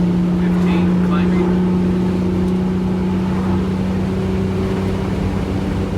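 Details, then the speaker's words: Wanderlodge bus with Detroit 6V92TA two-stroke diesel after main bearing and turbo boost work; boost 15 to 17 climbing hard under load, short resonator exhaust; deep steady even drone, no knocks or misses; healthy engine. "is this thing straight piped no it's got a short resonator on it but it's getting to a point where it's borderline too loud especially at 5am when you're leaving early"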